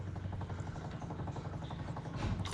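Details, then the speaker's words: Jaguar MKII during reassembly of the fuel system. The electric fuel pump primes with rapid, even ticking at about ten beats a second over a low buzz, steady and still pumping: normal. A petrol leak at the top fitting is found afterwards. "I hear the pump. It's still pumping."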